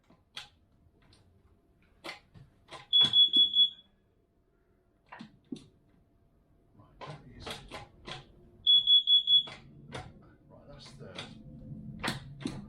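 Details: In the workshop with a 1969 MGB running for the first time since 2001, two bursts of about four rapid shrill beeps over shuffling and handling noise; the alarm is going off, probably from the car's exhaust fumes (carbon monoxide).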